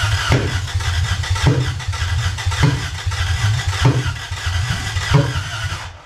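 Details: Lexus 1UZFE V8 first start after 6 years standing, ATF in cylinders, new wiring and fuel pump: catches and settles into a deep, somewhat lumpy idle with bursts about once a second; normal first start.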